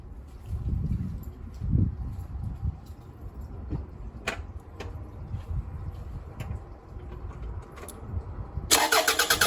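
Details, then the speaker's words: 2004 Toyota RAV4 2.4 L four-cylinder petrol engine starts into a harsh metallic harmonic rattle at idle; cause is a worn water pump bearing with slop (bearing slap), not leaking, replaced. "it has developed a very nasty sound uh when it's running um it's kind of like a harmonic rattle sound"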